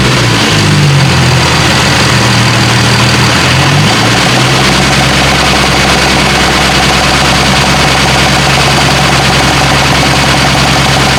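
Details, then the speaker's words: Nissan 370Z, mic near engine bay at idle: loud idle that drops and settles with an irregular puffing pop under the engine note, from the back of the engine; an air leak. "it's in the back right now it's a popping noise all right it's definitely an air leak"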